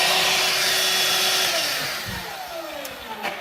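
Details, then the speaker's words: Ryobi 18V ONE+ 6-gallon cordless wet/dry vacuum on a 3 Ah battery, about two years old: loud airy rushing roar with a high motor whine winding down in falling pitch; normal running, louder than a household vacuum. "So you could tell this is actually really loud."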